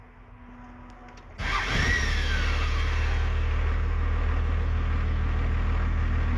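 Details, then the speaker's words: Diesel after replacing the throttle linkage ends and adjusting the idle screw: fires up after a short crank and settles into an even, steady idle with no misses or knocks; linkage good, no problem. "Alright, and we are good to go. Everything seems to be alright. There's no problem."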